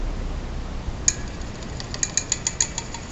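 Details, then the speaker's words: 1907 Westinghouse fan 60677 with restored windings, shut off: as it winds down, a quick run of light metallic ticks speeds up and stops as the centrifugal switch drops back in; normal centrifugal switch operation. "thanks for watching shut it off listen to that switch shut"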